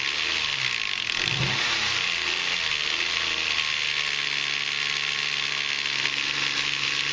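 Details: Nissan Maxima/Infiniti engine on its first start after water pump replacement and timing chain tensioner reinstallation. Loud metallic rattle and clatter ride over the engine; timing chain rattle from air in the tensioner, expected to purge when revved to 3,000 rpm.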